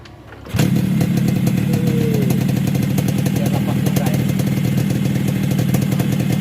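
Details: Yamaha RX King two-stroke after replacing block and head because an over-widened exhaust port from bad porting caused low power and piston knock: catches at once and settles into a steady even buzz with no knocks or misses; healthy.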